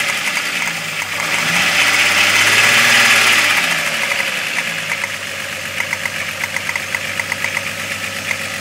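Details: 12V VR6 engine: revs rise and fall, then at idle a light, even knock taps about four times a second; owner suspects rod knock, source not confirmed.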